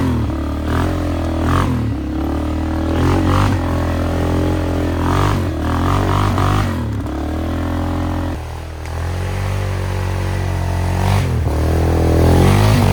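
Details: Flood-repaired 2001 Polaris Sportsman 500 HO test ride, aftermarket muffler and modified clutching: single-cylinder thump rising and falling with throttle, raspy loud exhaust, no misses; AWD and cooling fan working; primary clutch engagement delayed.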